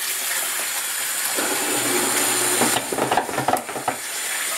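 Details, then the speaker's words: Panda B45 portable washing machine (10 lb capacity) spin compartment spinning soaking-wet clothes for about a minute: uneven heavy thumps about three a second as the load is unbalanced and must be redistributed and restarted. "not balanced right did you hear that you hear a loud noise then you got to get in there and redo it"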